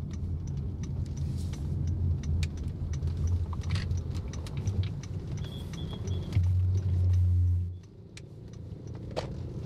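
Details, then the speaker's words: Honda Jazz GK5, stock and unmodified, after cabin and tire sound-deadening treatment, test driven at 60 km/h on rough asphalt. Low, muted tire hum with faint clicks; road noise still present but much reduced from before. "ini kita coba di speed 60 dengerin suara bannya aspal kasar jadi Honda Jazz itu kalau masih standar suara dengungan bannya itu bener-bener kerasa banget tapi di sini itu masih ada tapi jauh lebih berkurang"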